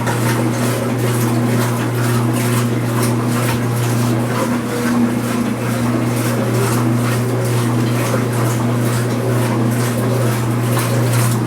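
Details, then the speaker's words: Speed Queen washer during agitation, not spin, after a repair of its earlier loud rattling: an even motor hum with a soft regular swish and no rattle, with the microphone near the camera. It is quiet now, especially with suds. "noise all in a normal distance now I have the microphone near the camera nice and quiet especially when there's some Suds in SHO like this"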